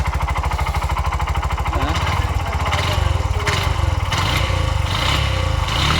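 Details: Bajaj BS6 single-cylinder engine, about 22,322 km, brought in for noise, oil suspected low; hard rapid knocking on the engine beat growing louder and rougher with revs, connecting rod knock.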